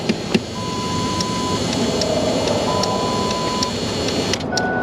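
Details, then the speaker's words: Vehicle with no crank and no communication, relay swapped in. Quick light clicking from the relay, but the engine never cranks; a damaged fuse box is suspected. Relay clicking with no crank. "right something's happening but it's still not cranking I bet you the fuse box is damaged too much probably"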